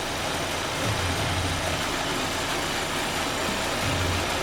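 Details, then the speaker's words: 2022 Audi Q3 with shaking engine and code P2279: constant airy hiss over a slightly unsteady idle from one side of the engine, a vacuum leak traced to a pinched valve cover seal. "But the hissing is some coming from somewhere on this side right here, which that which tells me the vacuum le is somewhere in that area."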